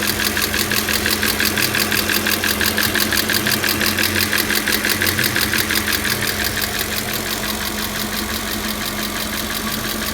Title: 2000 Audi A6 4.2 ticking noise